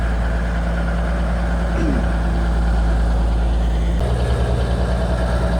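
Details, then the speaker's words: Kenworth twin-steer truck idling noticeably fast with an even low drone; the fuel pump stuck while the truck sat parked a long time. It is starting to free up as the engine and fuel get hot. "the fuel pump is starting to free up after after the engine gets hot and the fuel's getting hotter and everything I don't know why it's stuck it never was but when it was parked all that time it it became stuck"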